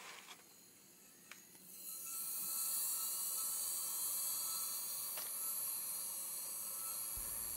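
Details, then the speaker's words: Hitachi Deskstar 7K250 hard drive powered up before opening, struggling to spin up: steady high hiss and scraping whir with sharp ticks, something dragging over the platter; likely a typical head crash. "You can hear something seems to be dragging over the surface and this could well be a typical hard drive head crash."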